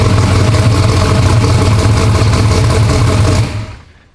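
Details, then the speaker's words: Race car with an LS V8 and Holley system on its first fire-up: a loud, deep, lumpy V8 rumble runs strong for a few seconds, then shuts off cleanly. The engine starts and runs fine. "She's alive. Runs. So excited about that."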